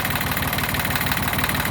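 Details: Yanmar YM1610 diesel tractor (1979–1981), first start after 10 years sitting: even rapid diesel pulses at steady idle with no misses, knocks or surges; normal idle.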